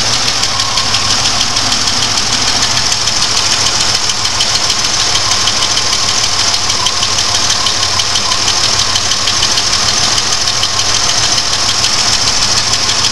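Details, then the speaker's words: GM 3.4 V6 at idle: fluctuating, lumpy idle with sharp clatter and steady stumble; cylinder number four misfiring badly from a dead rocker arm whose stud threads let go over time. "that's what it sounds like guys and it's it's not a leftover or anything it's that stupid threads in the Rock on cuz they let go after a time"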